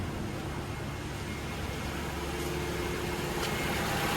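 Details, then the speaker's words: 2011 Toyota RAV4 after cooling fan repair (one fan previously vibrated violently with AC on): engine idling, AC on, both fans running, steady even whoosh, no rattle or grinding; quiet, fans healthy. "Fans are on. And quiet as a mouse."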